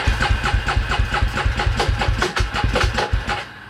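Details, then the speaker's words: 2003 Polaris Predator being reassembled and first fired up; uneven, heavy chugging at about two beats a second while cranking, harsh and lumpy. The starter sounds rough, reportedly for years, and the engine flooded rich with a wet exhaust. "That starter sounds like crap. Oh, like that for years. Has it? Oh, okay. It hits hard."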